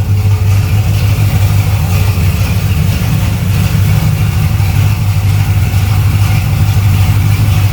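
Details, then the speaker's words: Camaro V8 with a small carburetor, freshly set valves and new wiring, idling at about 700 rpm: deep, even rumble with no valvetrain ticking; starts easily, though a touch of timing is to be taken out. "Where's it idling? About 700? That's not bad. Yeah. I rewired all that too. Yeah. I like it. It sounds good."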